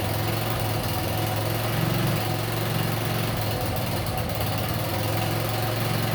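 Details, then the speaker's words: Kandi 2-seater go kart with a swapped-in small engine, modified muffler refitted in place of an open header: a steady, even, low putter at idle with a muffled exhaust and no knocks, misses or rattles; running decently. "so yeah it sounds much quieter um it seems like it's running decent"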